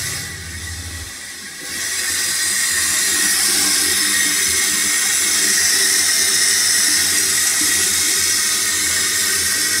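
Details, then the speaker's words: Toilet fill valve refilling: water rushes in, then a loud, steady hiss and whistle holds through the refill, loud enough to hurt the ears; an unusually noisy fill valve, cause unknown. "The loudness on this thing is real. Kind of hurt my ears, actually. Surprisingly."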